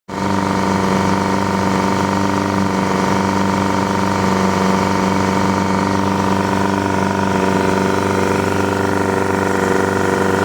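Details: Yamaha 100 HP outboard, tested after an ignition misfire: steady, even drone with a smooth, unchanging beat and no misfire stumble. Normal running.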